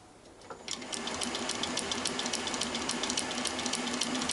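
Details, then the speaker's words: Wassell (Vape) electronic ignition for a 1969 Triumph Daytona T100R 500 twin bench-tested, spun in a lathe, on 12 V 3 A regulated supply, Lucas 12 V coil, unresisted cap, new plug: crisp, even clicking three to four per second over faint lathe hum; normal regular spark. "you can hear it clicking away there. So hopefully you can pick that up. The spark, maybe."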